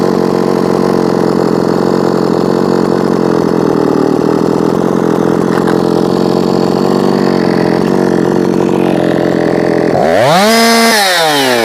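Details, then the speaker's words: Jonsered 2156 C (catalytic/EPA) chainsaw tuned to about 13,600 rpm, held wide open: steady high scream that won't climb past about 13,600 and drops to about 11,500 on extra fuel; owner suspects a limited coil. RPM limited at wide open throttle. "Up still at like 136 I think maybe this has a limited coil on it didn't gain anything in RPM that time"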